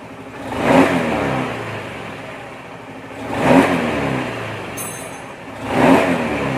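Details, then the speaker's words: Honda Beat FI scooter after repairing a leaking valve in the fuel pump that caused stumbling on initial throttle: three quick blips rev up cleanly and drop back to idle with no stumble or hesitation; smooth acceleration. "jadi dari bawah sampai ke atas itu aman ya nggak ada ngempos nggak ada brebet kayak grafik mah enak guys naiknya naiknya enak rata gitu ya"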